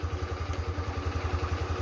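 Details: Scooter with sensor reconnected, stumbling/cutting out problem fixed after reset by unplugging connector: steady, even putter about twelve beats a second with no stumbles or dropouts; idles smoothly.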